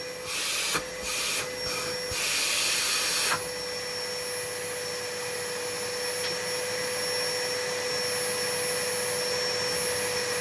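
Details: Numatic vacuum cleaner after homemade motor brushes, filter refitted, left running outside to wear in: steady even high motor hum after brief handling bursts; normal running, though suction seems modest and a winding may be cooked.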